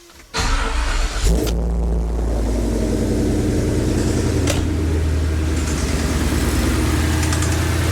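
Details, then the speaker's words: Ford Coyote V8 that failed on Power Tour 2024, started before teardown: steady run with a rhythmic, pulsing knock underneath. The owner suspected a loose rocker arm rather than a piston. "there definitely a kind of a weird knocking noise um the way pulsates like that it doesn't sound like a necessarily a piston or something but uh never know"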